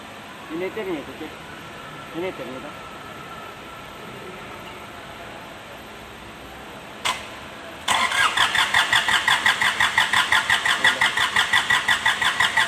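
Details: Kubota D905 diesel hard starting: long quiet spell, brief crank, then catches and chugs unevenly; lack of fuel and blowby.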